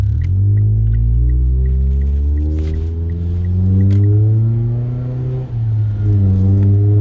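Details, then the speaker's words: 2012 Mitsubishi Lancer SE AWD with paddle-shift CVT pulling away: low droning whine rising in pitch at higher RPM while shifting through gears. This is normal CVT whine. "When you're shifting through your gears, it's normal to hear a whine in your CVT."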